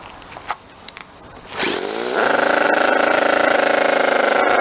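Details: Model twin rotary engine, retested after fixing gear noise from stator gear mesh, bad crank and housing; clicks, fires, steady high buzz, no gear whine; normal running.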